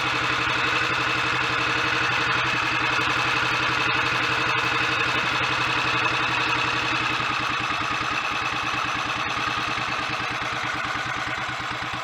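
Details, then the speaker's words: Royal Enfield 500 Bullet Electra X (AVL), single cylinder, slightly wet-sumped, warming up while idle is adjusted with a screwdriver: steady thump about four beats a second with light clatter; clean, even idle, sounds good mechanically. "Well, it sounds good mechanically, but that won't really tell us how it's going to go on the road."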